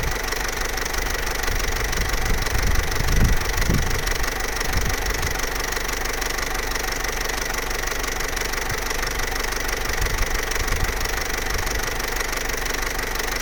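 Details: Vauxhall Corsa C Z14XEP with 86,000 miles at hot idle: loose, uneven metallic rattle about three a second over the engine hum from a worn timing chain, absent when cold and only pronounced at full operating temperature.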